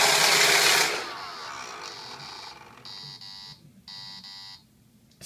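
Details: Roomba Discovery after use with a remote: robot stops, then four high, even beeps about a second apart; error signal, cause unknown.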